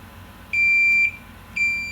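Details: 25-inch K7000 arcade monitor chassis: two steady high continuity beeps, each about half a second long, as the horizontal output transistor is tested out of circuit; it is shorted.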